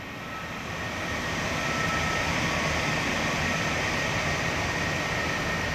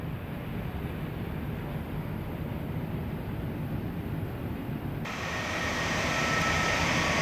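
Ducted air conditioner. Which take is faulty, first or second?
first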